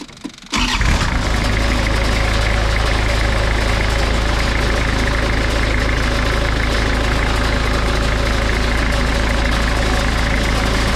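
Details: Moffett forklift diesel after replacing a failed injector and bleeding the fuel lines: catches after a short crank and settles into a steady, even idle with a firm low beat; running normally.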